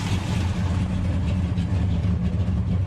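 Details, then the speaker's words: 1968 Hemi Charger V8 with carburetors run one to one and chokes newly hooked up: a deep, even rumble with no misses or knocks. It runs better and less rich than the day before. "this thing has never sounded so good than right now that's better today than yesterday"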